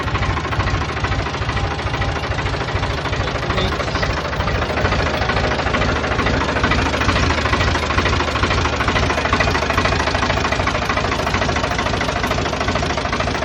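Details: 1988 Ford 4610 tractor, Ford 201 cu in diesel (about 65 hp), restarted after an oil and filter change with a new tach cable: even diesel clatter at a steady idle, regular beat, no misses or heavy knock; running normally.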